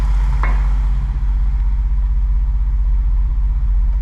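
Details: E28 BMW M5 first start after engine rebuild (head found in very bad condition, now rebuilt): steady, even low idle rumble with no knocks, misses or ticks, settling smoothly; normal healthy idle.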